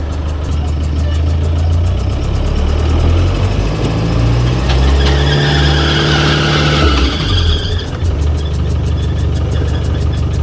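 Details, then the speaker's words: 35-year-old Land Rover Defender 110 200 TDI diesel, newly running, first short drive: uneven lumpy low drone with irregular pulsing under load; rough running, cause not yet found. "that doesn't sound good I think I might have bought an absolute lemon here"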